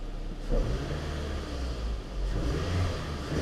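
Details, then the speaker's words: 2002 Toyota Camry, 220k miles, after new plugs, coils, valve cover and throttle body cleaning for low idle: tensioner whine gone once warm, low steady even idle with no stumbling or hunting; idling much better. "so once that tensioner kind of warms up it quits doing that but the good thing is it's idling so much better"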